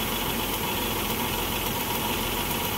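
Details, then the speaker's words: Chrysler engine idling after coolant leak work, with water still to be removed: a slightly rough, uneven hum with faint stumbles. It is a misfire from a bad ignition coil arcing out underneath, not from overheating. "it's got a bad coil you hear it that's a bad coil so this thing's misfiring and it's not because of an overheat that's a bad coil"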